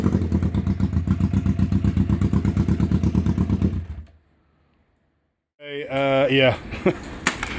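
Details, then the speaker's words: 1991 Kawasaki EN500 that bogged and backfired, after replacing out-of-range new pickup coils that had thrown off ignition timing: even, steady twin idle with no misses, then a clean rev blip; normal running. "It was the pickup coil. Um I used new ones. They were completely out of range and uh they've thrown off the ignition, set the timing wrong, stumbling, bumbling as we saw before."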